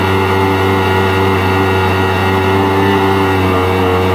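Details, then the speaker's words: 1999 Yamaha SUV 1200 jet ski fitted with an SBT engine, after carburetor repair, running under load at speed: steady, deep two-stroke drone at an even pitch with no misses or rattles; runs smooth and healthy. "Matthew running very well sounds smooth that's him just leaning on the throttle"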